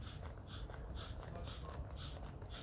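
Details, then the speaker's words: 1991 LA Gear shoe air pump/regulator; soft, even, regular puffs about twice a second; normal pumping. "yeah, that's how a pump should sound. I hope you can hear it outside."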